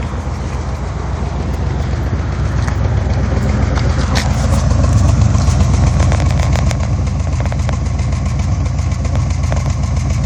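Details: 1986 Chevy Caprice idling with a deep, uneven, pulsing lope and bogging. This persists after a new carburetor, distributor cap, rotor, coil, plugs, wires, EGR and PCV valves, fuel pump and fuel line.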